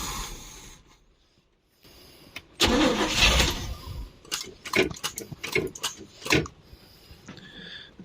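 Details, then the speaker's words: 1972 Barth motorhome petrol engine, first run in 15 years, electric fuel pump, new fuel filter and clamps: cranking into rough, uneven bursts that stumble and fade without settling; owner suspects the fuel hose doesn't push enough fuel. "fuel hose is so weird too this thing probably does not push enough fuel in here"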